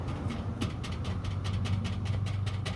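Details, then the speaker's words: 1990-91 Honda Civic EX sedan exhaust after new gaskets and a hanger fix, rocked by hand: quick metallic taps about five a second over a low rumble. Owner suspects the heat shield is loose in the middle and bouncing; not confirmed. "It still sounds a little, I don't know what it is. I think the heat shield itself it's loose in the middle and it's bouncing up and down against the top of this."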